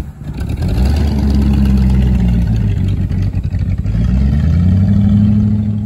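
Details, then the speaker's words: 1967 Ford Thunderbird, 390 FE big-block V8 with C6, after sitting 20–30 years: lumpy, surging idle, revs sagging near stalling, hard to keep running while smoking stuff off; owner needs carburetor adjustment and suspects too much ignition timing. "smoking some stuff off. It's hard to keep it running. It's not happy at idle."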